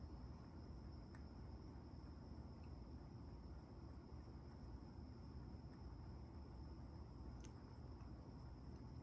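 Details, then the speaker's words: Arcade1Up Class of 1981 cabinet with volume at zero: over a low steady hum, random sharp pops and ticks through the speakers, sometimes a few, sometimes continuous for 20 to 30 seconds, even before the firmware boots; hardware or audio driver is suspected. "this is weird sometimes it'll do it one or two three pops sometimes it'll just keep doing it over and over for for several seconds"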